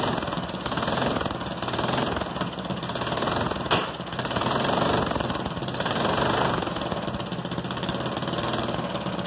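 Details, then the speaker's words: Goofy Cart 2 small single after its rebuild, gravity-fed from the tank with no fuel pump, open exhaust and no gasket at the head block: a rapid, sharp hammering beat that swells with throttle. Running normally. "but that's running from the gas tank with no fuel pump and some people were wondering what was going to happen"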